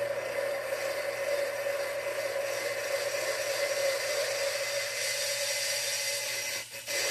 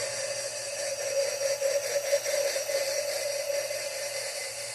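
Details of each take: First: Valve lapping on a small-block Chevy head for a 1978 GMC truck engine rebuild, run forward and reverse with grinding compound; steady gritty rasping that drops briefly each time the valve is lifted off its seat to let compound seep back in. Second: Lapping a valve on a small-block Chevy head (1978 GMC truck engine rebuild): faint smooth hiss with steady mid tone as the grinding goes quiet once the lapping compound is squeezed out from the seat.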